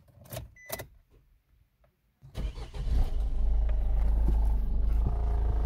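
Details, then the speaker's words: Suzuki SX4 1.6 diesel (Peugeot 1.6 HDi / DDiS engine) bought at auction with known engine noise: after clicks it starts into a heavy, deep, rough purring rumbling idle; source of noise not yet identified, repair to follow. "On l'entend ça ronronne sévère. Voilà. Bruit dégueulasse, vraiment brouillante."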